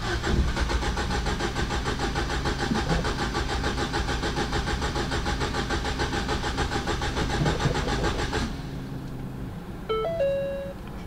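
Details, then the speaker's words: Crashed Ford Fiesta ST bought from a salvage auction: even starter churning about three and a half beats a second for eight seconds, never firing; cranks but won't start. "I think I might have spoken too soon this is what the car is doing when you trying to start it"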